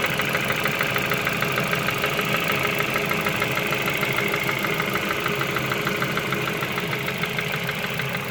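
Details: Ford Focus 2 idle with fairly regular light, bright metallic tapping around two knocks a second; an engine knock of undetermined source.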